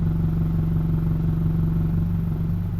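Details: 2006 Honda CR-V, began after starter replacement, persists after all four motor mounts replaced: heavy, low, rapid rattle at idle stopped in gear, A/C on, brake eased; owner suspects exhaust banging, not confirmed.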